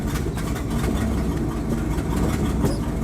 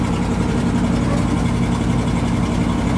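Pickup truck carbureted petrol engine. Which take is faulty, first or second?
first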